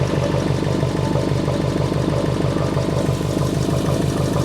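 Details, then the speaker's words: Subaru Impreza with EJ engine, back running after six years off the road, following timing belt, water pump and radiator replacement. Steady idle with a rapid, even pulsing chatter about three beats a second; an annoying noise whose source is not yet found. "Also, I found out about this annoying noise. So, I'll be removing all of this at some point."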